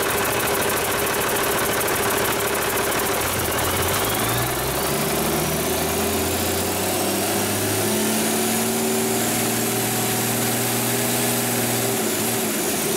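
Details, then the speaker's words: Rebuilt Cummins 8.3L diesel with an inline injection pump, with no coolant, just after first starts post-rebuild: brief speed change, then a steady, even idle clatter with no knocks. Good oil pressure, no leaks, normal idle. "i like it well i think bailly would approve it sounds good to me uh we've got good oil pressure there's not leaking anywhere at least not yet so that's a good sign"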